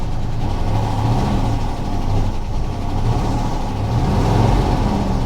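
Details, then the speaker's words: Engine rumble that surges and sags unevenly as throttle is applied, nearly dying; suspected bad fuel, a possible exhaust leak, or a dead engine, not confirmed. "So when I start to accelerate, it actually starts to die on itself, and it's starting to run a little bit better."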